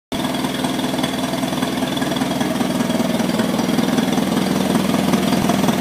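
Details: 1955 McCormick Super FC-C Utility tractor, first start about 30 seconds after rebuild of a fully seized engine: steady, even idle, regular firing, no knocks or misses; slight squeak on right side is oil pump and filter purging air.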